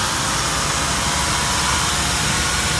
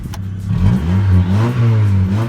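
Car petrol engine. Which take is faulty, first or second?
first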